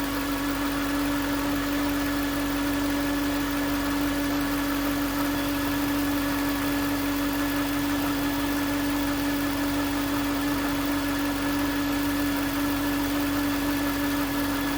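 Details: 2009 Range Rover Supercharged 4.2: steady mid-pitch whine holding one note over engine noise; stethoscope on alternator housing confirmed the alternator as source, no engine codes; alternator replaced.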